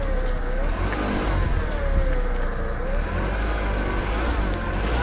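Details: VW Golf after CV joint repair, car rolling through a tight turn on wet road at night: steady engine and tyre noise with no rhythmic clicking from the front axle; normal CV joint.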